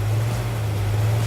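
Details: El Camino with new Goodwrench small-block crate V8, cam break-in run after first start: steady deep even hum at fast idle, no ticking or clatter; oil pressure present, no leaks, warming up.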